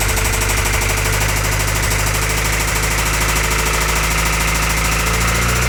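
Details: Toyota 22RE four-cylinder at steady idle: quick light knock riding on every few firing beats, appearing after the valve cover was refitted; source unconfirmed, possibly top-end valve train.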